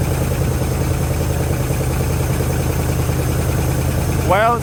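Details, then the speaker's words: Junkyard 1973 Chrysler Newport 400 cu in V8, fuel system hooked up, fuel filter filling: steady low burble at idle, even beat, no tapping or misfire, little smoke, oil pressure present; normal idle. "sounds like it's running [Music] good fuel filters getting some fuel that's [Music] good"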